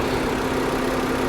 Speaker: She's nice and quiet, full of coolant. It's a good one.